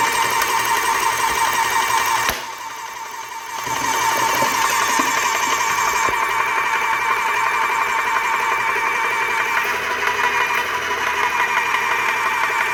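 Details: Graco airless paint sprayer running in a bucket of water, prime valve off to build pressure after filter-housing leak repair: loud motor clatter with fast pumping pulse and brief dip, never settling; no seepage but low pressure, apparently bad pump packings.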